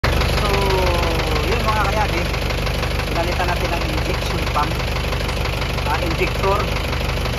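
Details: Isuzu 4BE1 diesel: idle clatter with a loose, uneven knock about three times a second riding over it; worn piston pin bushings.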